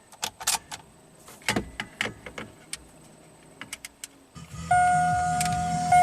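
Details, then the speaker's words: 2008 Saturn Astra after jumping a bad ground in the left headlight harness: crisp switch clicks, steady chime and motor hum, no relay chatter; headlights, marker lamps, turn signals and door locks now work normally. "everything works as it should headlights work marker lamps work there's no clicking right turn signal left turn signal no more crazy stuff"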